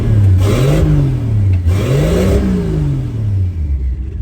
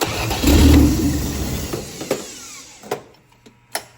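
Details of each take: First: 1963 Plymouth Valiant turbo slant six, blow-through Carter BBD carburetor: revs rise and fall with an uneven, lumpy pulse as a cylinder drops out. It smells rich, and the owner thinks idle fuel needs reducing. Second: 1963 Plymouth Valiant 170 slant six with turbo and Carter BBD two-barrel carb, new starter, cold day: short crank, fires at once and runs evenly, slightly smoky; healthy cold start.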